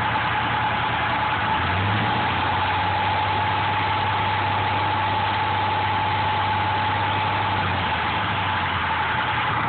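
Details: Engine at idle with the accessory belt installed: a steady high whine rides over an even idle without changing pitch; belt-driven noise, source not yet found.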